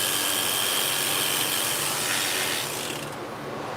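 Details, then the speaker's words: Clipper tested after blade sharpening: loud, harsh high buzz with a rapid rattle that eases off near the end; very noisy clipper. "Very noisy. How's that sound?"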